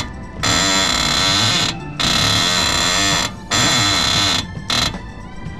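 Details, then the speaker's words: 1995 Honda Civic DX with B16A swap, passenger front wheel: loud groaning squeals in bursts with each steering-wheel sweep while stationary; badly worn lower ball joint, replaced along with control arms and compliance bushings. "I'm going to hop in the car and just move the steering wheel back and forth and you'll hear the noise it's pretty bad definitely something to be concerned about"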